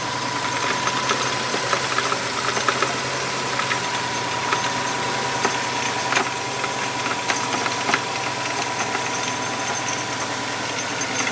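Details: 2005 Subaru WRX at idle, noise first heard one morning: steady idle with a faint high whistle throughout and scattered light ticks; a shop couldn't identify the cause, unconfirmed abnormal engine noise.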